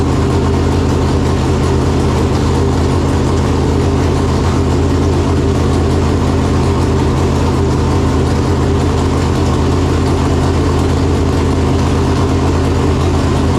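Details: Freshly installed 568 cubic-inch big-block Chevrolet in a Chevelle with Jerico 4-speed manual, first start after install, came up to temperature well. Deep, steady, lumpy idle with even beat, no knocks or ticks; normal warm idle.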